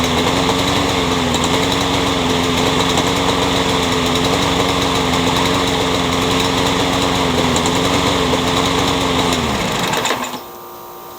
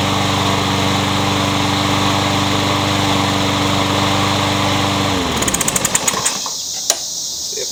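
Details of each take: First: Curb-found Troy-Bilt 21-inch self-propelled mower, blade having hit a railroad tie, crankshaft end filed to fit: rough uneven chugging, then it dies; owner feels crankshaft play and suspects a bent crank. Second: Troy-Bilt 21-inch self-propelled bagging mower, blade previously hit a railroad tie; after flywheel key replacement and reassembly, engine runs steady and even for about five seconds, then winds down cleanly at shutoff: good runner.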